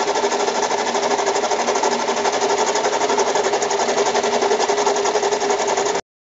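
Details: Mazda 6 idling with a fast, steady metallic sewing-machine clatter, knocking and rattling noise that started that morning; engine oil level is fine; cause undiagnosed.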